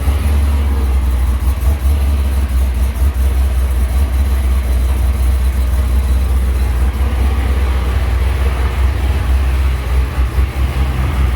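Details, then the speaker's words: Hellcat Charger with a Hellion twin-turbo kit idling with a deep, steady V8 rumble and audible turbos after the exhaust was finished and the flange changed; the earlier ticking from exhaust leaks is gone. "You guys hear how quiet the motor is? Listen. Wow, you can hear the turbos more and everything."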